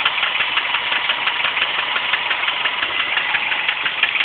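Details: Subaru Impreza EJ25 engine: after highway driving it suddenly idled rough with sharp metallic ticking about three times a second; loud ticking at idle, owner suspects a spun bearing, not confirmed.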